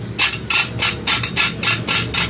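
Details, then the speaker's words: Auto rickshaw (chingchi) silencer to be fitted to a 70 motorcycle: broken internal baffle/mesh rattles inside; sharp metallic clattering bursts, about three a second, as the silencer is shaken. "दोस्तों, इस silencer का मसला है कि ये आवाज़ करता है, अंदर से इसकी जो जाली होती है, बफल जो होती है, वो अंदर से टूट गई है।"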